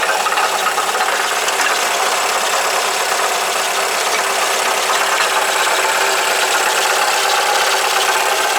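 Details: Alfa Romeo GT 2.0 JTS: a tinny, uneven rattle and hiss ride over the idle without following any clear beat, first thought to be inside the engine; pointing to a broken catalytic converter in the manifold.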